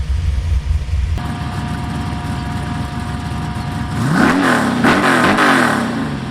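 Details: V8 Chevy S10 with new DIY 3-inch true dual exhaust, flux-core welded, TOTALFLOW 45264 mufflers, idle and revving: deep, even burble, clean blips rising and falling smoothly, no misses or rattles; sounds good, healthy.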